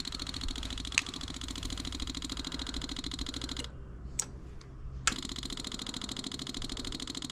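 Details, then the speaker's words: 1984 Yamaha Virago 1000, key on refilling emptied carb bowls: rapid even fuel pump ticking keeps going with one short pause, not shutting off; fuel overflows from the carb vent, owner suspects float needles sticking open, flooding the carburetors. "Okay, so I emptied out the bowls. And I'm going to try filling it up again. I Sometimes the float needles stick open."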